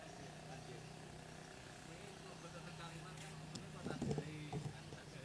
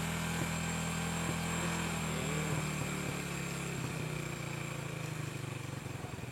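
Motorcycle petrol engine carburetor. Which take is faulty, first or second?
first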